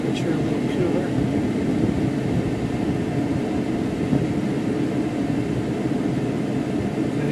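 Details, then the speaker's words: 2004 Mercury Grand Marquis after a faulty blower control module was replaced with a known good one and the assembly reinstalled. A steady, even rush of air from the vents with no rattle, whine or flutter; normal blower airflow. "Right out of the vents, no problem. Let's go through all the settings."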